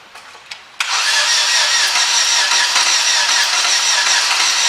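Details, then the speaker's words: 2006 Opel Zafira petrol engine cranks unusually fast and smooth with no compression chuffing, so it won't fire. Suspected snapped timing belt or failed tensioner, not confirmed. "As you can hear, it's spinning very, very fast. Now, they're kind of known for snapping the timing belts, or even the tensioners could go, but there's some problem with the timing."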